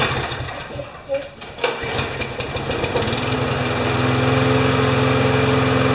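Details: Briggs & Stratton 6.5 hp flathead mower with primer bulb, no automatic choke, reported to start then stall; after being tipped on its side it fires, stumbles in uneven bursts, then steadies to a buzzing run; rough running, minor carb clean planned.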